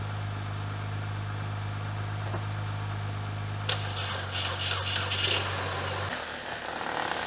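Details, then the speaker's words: Copart salvage car with no coolant, previously driven and technically overheated, started briefly to move it into the shop: steady, even low idle hum with no ticking or tapping, then shuts off; motor sounds healthy. "Motor is not ticking, even though, like I said, I drove it and I overheated it technically."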